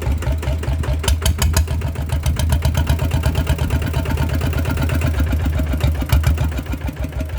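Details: Single-cylinder diesel RT100 before an engine oil change: steady, even thump at idle with firm rhythm, no misses or knocks; runs normally.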